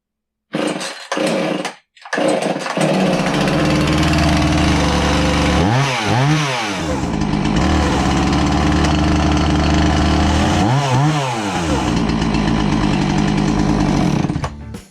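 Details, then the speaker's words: Husqvarna 450 chainsaw test run after brake band replacement: fires up and runs steady, revving up and down twice with clean pickup and even return; normal running. "We're going to give it a test run, see if that brake works"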